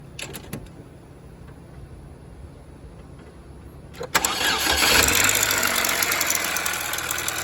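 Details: 2007 Chevrolet Cobalt 2.2 Ecotec with suspected broken timing chain guide and bad tensioner or chain; engine catches and idles with a fast, light metallic chatter about four per second, chain rattling.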